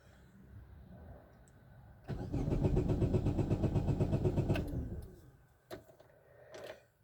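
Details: 2010 Chevrolet Aveo start after a transmission mount repair, with the motor support out and far less engine rock; neutral, brakes on. Brief crank, then a steady, even idle before shutoff, with no clunks from the mounts.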